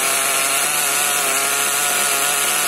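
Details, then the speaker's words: HPI Nitro MT with Nosram RS 18 Evo nitro engine during break-in, warmed with the engine heater and richened a bit more: constant high-pitched buzzing scream with no dip or hunting, well above normal tick-over; high idle. "I have richened out a little bit more as well. You can see the idle's definitely a bit high,"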